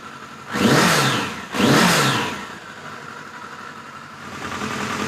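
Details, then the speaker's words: 1986 Voyager XII 1200 four-cylinder after restoration, near-stock jetting (110 mains, 38 slows), slightly rich, cool day, carbs still need syncing: two clean throttle blips, then steady even idle; fires right up, normal idle. "So that ain't too shabby, folks. Fires right up, sounds good, idle's good."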